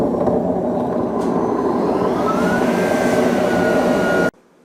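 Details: Beko D5 7101 washing machine with plastic tub, before drum bearing and seal replacement: loud steady roar with a faint tone creeping up in pitch as the drum gathers speed, from worn drum bearings.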